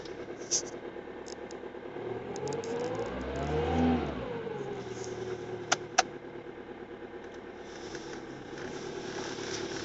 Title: engine rattling sound ford mondeo tdci 2005